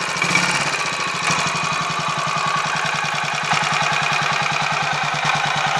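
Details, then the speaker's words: Royal Enfield 500 Machismo electric start, after 20W-50 replacing ATF in starter sprag gear, warming up: even single thumps, picks up smoothly on throttle, no clatter; slight whirring remains, normal running. "obviously there's still a woring noise I mean you're going to get some degree of noise in a setup like that but um it doesn't all sound like it's going to do anything unpleasant in a blink of an eye"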